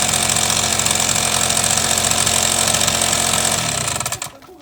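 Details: Suzuki Sepia ZZ scooter two-stroke engine: fast, fairly even rattling tick about four a second over a buzzy idle before it cuts out; abnormal engine noise, cause unknown.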